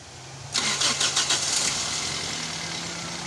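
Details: Toyota Corolla cold start after fixing a metallic rattling noise that occurred on morning cold starts: short crank, catches quickly and settles to a steady, even idle with no metallic rattle.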